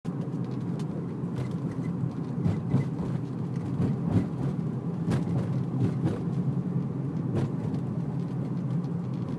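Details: Infiniti G35 coupe driving over bumpy road: sharp, irregular clicks from the rear over low road rumble, present for a few weeks. The owner suspects a rear control arm; cause unconfirmed.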